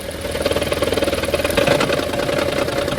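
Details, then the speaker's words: Toyota Prius with a confirmed faulty ignition coil, noise returning when the coil is plugged back in and stopping when unplugged; loud, uneven, shaky pulsing at about four beats a second. Coil to be replaced. "Spark ignition coil है ये तो confirm हमारी खराब है। मैं दोबारा लगाता हूं। आवाज बहुत ज्यादा है।"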